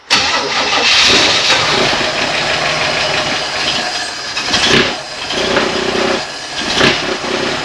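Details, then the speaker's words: 1964 Chevy II Nova, first start attempt in months: the starter cranks, the engine catches and revs briefly like a little sewing machine, then falters and dies. Fuel pickup is suspected; the exhaust rubs slightly. "you so quiet yeah kind of accelerator pump it again like a little sewing machine the exhaust rubs a little bit there"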